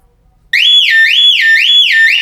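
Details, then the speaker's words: Volvo S60 (P2 platform, 2001–2009), fairly new alarm siren connected at the fender connector, triggered 10 s after locking and opening a door: loud, clean two-tone whooping siren about twice a second. Siren works properly. "so ten seconds you can cancel it by it's fairly loud let's just listen for it it's really loud"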